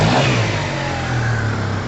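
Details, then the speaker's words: Free Yamaha TMAX 500 scooter at first look, not yet road-tested: crisp rev that rises and settles cleanly with no misfire, rattle or stumble; owners call it all good and fast. "And it seems kind of all good, doesn't it? It's bloody fast."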